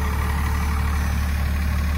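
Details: 1997 2500 with 12-valve Cummins diesel, four-wheel drive, cold start in snow without block heater: steady, even low diesel clatter at idle with no hunting, misses or knocks; owner says no blow-by; healthy normal idle.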